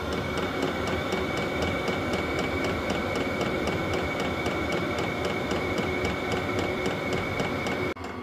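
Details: Vevor 12 V diesel heater on maintained battery; crisp even fuel-pump ticking about four a second over fan whoosh until it cuts; pump metering normally, heater working.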